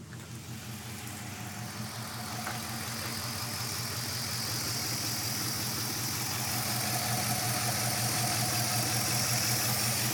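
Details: Rough idle on a 5.7 Hemi: steady loping pulse about three beats a second over a deep exhaust drone; engine idles rough, cause unclear.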